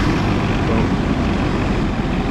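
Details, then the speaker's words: Onan CMQD10000 diesel generator, replacing an MEP-803A, idling after preheat at about 20°F: steady, even low rumble with no knocks, misses or surges; rated 70 dB at 10 ft, much quieter than the MEP, and no smoke. "much quieter to me they actually rate this at 70 decibels at 10 feet away and i was reading up the rating is basically the same on the mep but this is this is light years quieter and no smoke"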